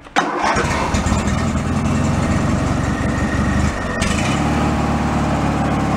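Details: Free Craftsman riding mower after repairs, safety switches reconnected and fuel added, started for function check: engine catches straight away and settles into steady, even single-cylinder run, no misses or knocks; normal start and idle.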